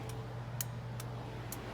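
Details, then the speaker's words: 1979 Ford F100, after replacing the turn-signal flasher relay mounted under the dash: crisp regular ticks roughly every half second over a low steady hum; flasher now clicking normally. "So I hit the left, and now it's clicking. It wasn't clicking before."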